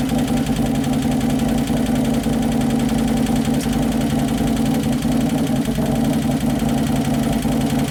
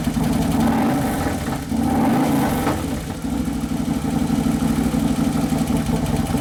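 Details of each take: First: 2011 Harley-Davidson Road Glide (FLT) Twin Cam after motor rebuild: light fast lifter clatter over idle, hydraulic lifters not yet pumped up; idle hunting up and down as computer fights it; O2 sensor possibly on wrong side. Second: 2011 Harley-Davidson Road Glide (FLT) Twin Cam V-twin idling on its first heat cycle after motor and primary repair: even, steady idle with a rhythmic lope, no knocking or ticking; engine settling in normally.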